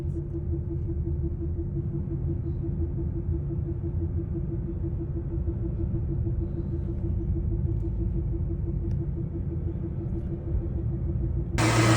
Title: Humming noise from prof-shaft centre bearing support. #mechanic